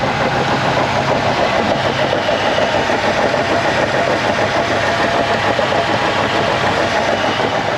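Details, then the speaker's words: Steady rumble with a thin, constant non-pulsing whine; suspected bearing noise inside the transaxle, seemingly spinning faster than wheel speed, not confirmed. "that sound like was in a transmission that's not good something in the trans axle"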